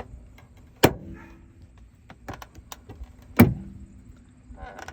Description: If you own a 2004-2010 Toyota Sienna and your front door makes a pop or click sound, watch this video to FIX IT.